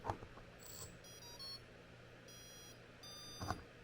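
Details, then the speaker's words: RC submarine: the previously working motor gives short high electronic beeps and a brief twitch, then the controller resets. The pump runs a couple of seconds before everything resets, while the servos work fine. Cause is suspected, not confirmed. "It gives a little spin and then like resets."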